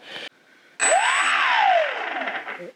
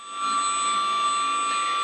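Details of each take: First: FX-61 Phantom stock 1200KV brushless motor, bench run through INAV: motor whine climbs and falls with a gritty rasp underneath, loud; owner suspects a worn bearing, motor replaced with a Racerstar 950KV. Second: FX-61 Phantom RC plane with new Racerstar BR3536 950KV motor replacing a loud stock 1200KV motor, bench test without prop: clean, steady high-pitched whine, much quieter and smoother.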